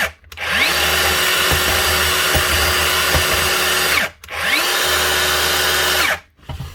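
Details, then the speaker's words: DeWalt DCS570 saw after replacing the blade guard whose bad bearing caused spindle vibration: two clean free-running bursts, smooth spin-up to steady whine and clean rundown, no rattle; normal running after repair. "better. That's it. One bad bearing on the return guard or the safety guard causing vibration and the actual spindle."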